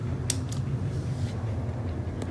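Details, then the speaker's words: 2016 Friedrich Kuhl 12,000 BTU air conditioner with LG scroll compressor, fan motor starting to have bad bearings: low motor hum with a few sharp creaks and clicks as the fan spins up. "also i forgot to mention this cool is starting to have bad bearings listen you can hear that"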